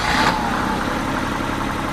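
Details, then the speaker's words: BMW E30 petrol six, unstarted for 5+ years, fires while being cranked for a spark check: catches with a brief rev, then settles into a steady, even idle with no knocks or misses; normal idle, cause of earlier no-start unknown. "freaking thing runs how the hell is that possible I guess this video is gonna be a lot quicker than I thought"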